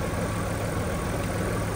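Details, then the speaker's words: Alfa Romeo 156 2.5 V6 final test after a misfire on cylinders 1–3 was fixed by resetting cam timing and replacing the timing belt: steady smooth idle, no misfire, no fault codes returning. "final test drive has been complete purring like a kitten"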